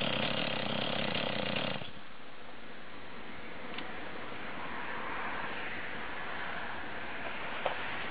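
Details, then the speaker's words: Stihl 026/MS260 two-stroke chainsaw, first start after carb set to standard settings, fuel/oil added and carb primed: drops from a brief rev into a burbly, slightly uneven idle that keeps running; slightly rich at tick over, to be adjusted once settled. "obviously it wants to running for a while it sounds like it's a little bit rich on tick over uh but it seems to tick over"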